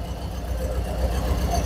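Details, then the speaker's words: Volkswagen Fox after cylinder head rebuild, idling: low, lumpy idle with uneven thumps; misfire on cylinder 2 where the ECU cut the injector, no resistance at the injector. "a central por não encontrar explosão no cilindro galera não localizar aí que tá funcionando o cilindro a central por estratégia desliga o bico"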